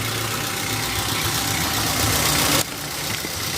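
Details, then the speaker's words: Toyota Avanza petrol engine at idle, with the fan belt shown turning, given as the reference for a normal engine sound: even, steady idle with a smooth, unchanging hum and no knocks or squeal. "Ini suara mesin mobil dalam kondisi normal ya teman-teman ya"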